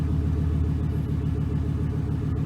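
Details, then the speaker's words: 2006 Chevy Silverado 1500 4.8 V8 just after replacing the oil pressure sending unit: smooth, even idle with a steady low pulse and no ticking or knocking, oil pressure building to 40 psi. "now it's gonna start it up and hopefully we should build oil pressure hallelujah the 40 psi"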